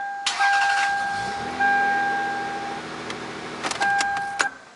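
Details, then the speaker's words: 1997 Toyota Camry with Denso starter, battery a couple months old and connections good: warning chime then sharp lone clicks with no cranking, intermittent about half the time; worn starter solenoid contacts/plunger not passing current, fixed by starter rebuild. "Sometimes it just clicks, and sometimes it starts. And right now when I just tried it, it worked like 50% of the time."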